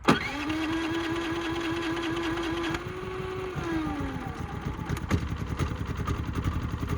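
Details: Brand-new Harbor Freight Predator 3500 generator with new oil and fuel stabilizer: starter whirs, then uneven puffs that never catch. Cranks but won't start; hard to start warm or cold, though it passes load tests once running.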